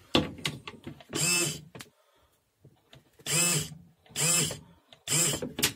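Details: Camper cassette toilet flush pump, after freeing the tightly stuck motor by hand: short bursts of high buzzy whirr, about half a second each with pauses; small pump motor now spins freely, running normally.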